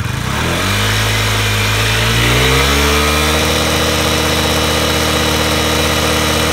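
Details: Honda Today moped with a small single-cylinder engine, after an engine conditioner treatment for carbon buildup: it catches and settles into a steady, even idle with a clean rise in revs, running normally.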